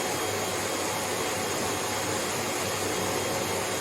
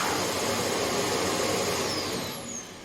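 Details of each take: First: Hoover HL500PT vacuum, ex-display listed as not working: suction motor works but red light blinks; steady high rushing motor note with no roller beating; brush roll not driven due to faulty safety microswitch. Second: Hoover HL500PT vacuum after fix: steady motor roar with brush roll whirring evenly before winding down; brush roll and vacuum running normally.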